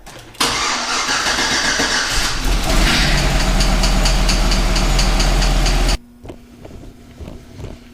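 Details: GMC Yukon V8 after a DoD (displacement on demand) delete; brief starter cranking, then catches cleanly and settles to steady even run with no knocks. Normal start.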